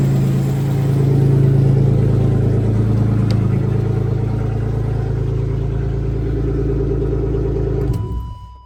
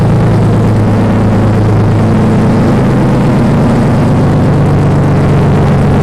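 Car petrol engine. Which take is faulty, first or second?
second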